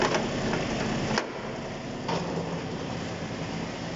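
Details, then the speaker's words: Kubota Aste A-15 mini-tractor, three-cylinder glow-plug engine, 1.1 m rotary tiller running on PTO, camera beside the gearbox: quiet, even hum with a couple of light knocks, no whine or grinding; gearbox noise-free. "никаких шумок вот мы сейчас камеру возле редуктора шумов абсолютно нет"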